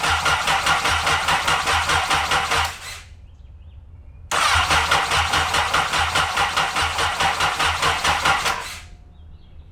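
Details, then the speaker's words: Honda N600 with new CBR1000RR engine, after replacing three bad fuses and priming fuel pump: two brisk even cranking bursts of about three seconds, no firing; turns over fine but no spark, no ignition. "No spark. I don't see anything. I don't see anything. So, we have no ignition."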